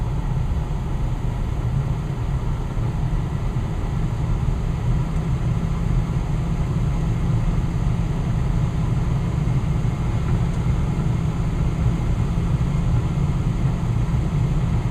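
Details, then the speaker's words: Westinghouse two-stage gas furnace with variable-speed blower, after burner shutoff: deep, smooth, steady fan rumble with no rattles or scraping as it settles to low speed; blower running normally. "now the furnace just turned off and now the fan is just running and the fence will eventually start to go in its slower sorry go into a slower speed you can hear it smooth running"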